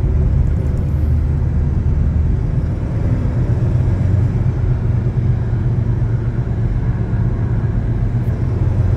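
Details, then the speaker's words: Chevrolet S10 pickup driving: heavy, steady low roar from a badly worn front wheel hub bearing, nearly seizing and felt through the steering wheel; exhaust manifold also blown. "Conseguiu ouvir rolamento do cubo dianteiro está praticamente travando o volante aqui tá rostinho"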